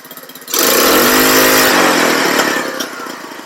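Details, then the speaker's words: Cheap buggy carburetor tuning, main jet raised from 105 to 110, wheels off the ground: engine snaps up to a high buzzing rev then pops and spits falling back; stuttering gone but still backfires, owner suspects it's still lean and needs bigger jetting. "still a little backfire but none of those none of the stuttering and popping when it revs up so I'm thinking it might just need a little more jetting somehow"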